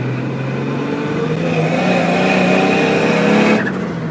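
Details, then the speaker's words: Nissan S14 RB30DET turbo, full throttle to the wastegate at about 14 psi boost (opening just before 1 bar), AFR around 11.5, screamer pipe: note climbs steadily and cleanly with no misfire, then drops off on release; healthy pull. "This is first time for me, people, letting the sucker rev out."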